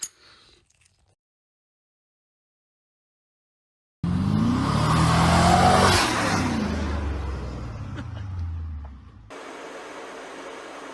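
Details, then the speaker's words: 1UZ V8-swapped Ford Focus pulling away and building speed after the front wheel bearing got a spacer and new nut (old cheap bearings leaked): smooth, no rumble, rattle or growl; front-end noise gone, healthy bearing. "okay so after that quick test uh seems like all my front end noise is gone"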